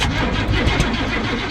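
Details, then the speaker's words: 1969 Cadillac, about 55 years old, first start attempt after installing the starter, rewiring and getting spark, throttle held to the floor: starter cranks the engine in quick even pulses, about seven a second, but it doesn't fire; cranks, no start. "a loss still nothing hold hold on it almost took off with the cyrl I can't believe it cuz this pedal does not feel like it's moving under it's moving"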